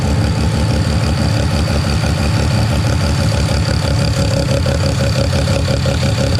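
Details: Mazda 13B rotary on EMPI IDA carburetor, after replacing the fuel regulator that wasn't holding pressure: regulator set from about 2 to 3.5 PSI while running and holding steady; even low rumble at idle, no stumbling, surging or misses. Normal idle.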